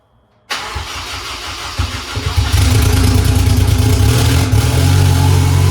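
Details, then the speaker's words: Honda S2000 2.4 race engine after rod bearing check following 5-6 months hard racing: fires cleanly, steady even idle and smooth rev rise, no knocking; good oil pressure, transmission fluid needing top-off; running good, bearings healthy. "well that is going to do it guys we got our running good"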